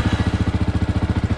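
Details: Yamaha YZF-R 125 single-cylinder fitted with a Powertronic, exhaust baffle in place: even thump about thirteen beats a second, steady with no popping or stumbling; clean, healthy idle.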